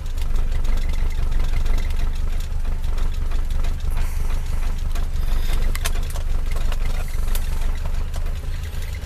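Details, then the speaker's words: Rover P6 in cold weather, not yet warmed up, shifted between neutral and drive: a deep, uneven idle that stumbles and dips when put in gear. "okay and you're the engine died down a bit then they say she's not even warmed up properly yeah neutral drive"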